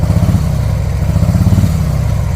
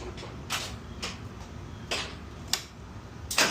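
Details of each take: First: 2024 Harley-Davidson Road Glide stuck in limp mode with check engine light, revving: loud lumpy uneven rumble with little pickup; running on one cylinder due to faulty ignition coil harness wiring, before repair. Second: 2024 Harley-Davidson Road Glide after repairing the ignition coil harness wiring that caused limp mode: clicks, then fires into a steady even loping idle with no misfire; power restored, check engine light still on.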